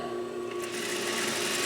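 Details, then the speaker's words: 2001 Juki DDL-8300N industrial sewing machine (5500 spm), speed control first set too low: thin even whirring hum with fine rapid rattle at a gentle pace, running too slow before being bumped up. "Oh, look at that control, but that's way too slow. Let's bump it up."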